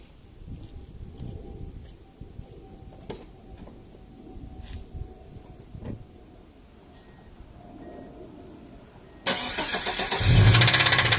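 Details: Subaru EJ18 engine cranks, fires and runs with a rough, heavy knock; about 2-3 mm of connecting rod play on the crank, rod knock.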